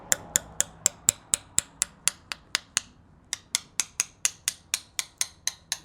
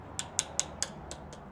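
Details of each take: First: Coin tap test along a carbon bicycle handlebar after a crash: crisp taps at about four a second, each ringing with the same clear pitch wherever tapped, no visible crack, so no crack detected. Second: Coin tap test on crashed carbon gravel-bike handlebar: first four taps ring bright and clear on good carbon, last three go dull and dead over a severe, fully visible crack.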